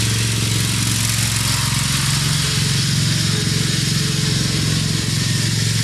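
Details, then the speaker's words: Craftsman LT2000 riding mower, Briggs 17.5HP engine, test run after cleanup, oil topped off with Lucas additive: loud, smooth, even engine note holding steady, no misses or knocks; running real sweet, normal. "She's running real sweet."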